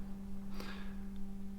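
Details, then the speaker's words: Steady low hum with a fainter higher hum inside an ex-army truck being converted to a fire truck; an electrical leak somewhere feeds current through the roof flashing light circuit, causing the hum. "there is an electrical leak somewhere in this truck so that hum is from the flashing light on the roof"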